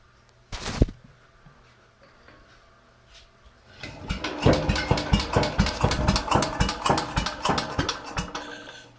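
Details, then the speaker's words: 69-year-old Briggs & Stratton 23A-FB engine in garage, temporary fuel filter, choke nearly closed: a few uneven firing pulses about two a second then quits; has spark, owner suspects fuel/air mixture (too lean); engine fires briefly then dies. "she just runs for like three four five puffs and then gives up so uh it's it's it's all fuel air related it's getting spark"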